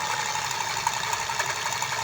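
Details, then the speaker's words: Buffalo rechargeable sprayer with weak spray, opened: a steady high motor hum with an even buzzing shake. The off-center, oblong bearing is supposed to vibrate to drive the pump, so this is normal eccentric-bearing vibration. "Kung mapapansin niyo yung bearing, hindi pantay ang ikot. Oblong. Oblong yan. Manginginig."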